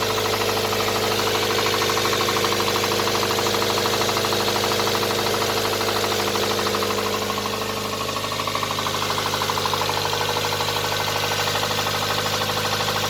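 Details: Nissan R'nessa engine with spun bearings: loud fast regular rod knock around 2.5 per second while running, some smoke from near a hose; engine considered scrap.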